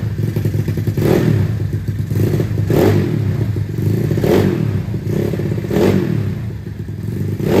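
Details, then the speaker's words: Yamaha Mio bored to 200cc, carburetor not yet retuned, heavy CVT rollers, weak starter one-way clutch: deep loud exhaust swelling with each throttle blip about every 1.5 seconds, aggressive but still reasonable; clean, healthy sporty note. "Ya suaranya bisa dibilang gahar ya, cuman gaharnya masih terbilang masih wajar lah"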